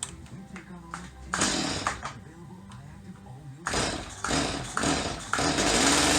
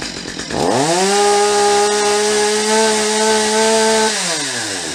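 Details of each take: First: Stihl MS250 chainsaw, carburetor cleaned, low-speed mixture screw turned in: revs climb to a peak then fall off and stutter in uneven bursts, too lean; backed out half to three-quarter turn past peak. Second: Stihl MS250 chainsaw after carburetor removal, cleaning and adjustment of the high and low screws: revs up cleanly, holds a steady high buzz without surging or stumbling, then drops smoothly to idle; runs much better than before.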